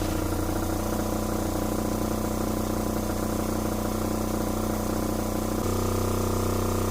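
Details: Newly installed Fischer Panda genset in a Tiara boat, replacing original locked up by water intrusion, first start after wiring and antifreeze fill: steady even hum, constant tone, no knocks or misses, slight shift near end; running normally.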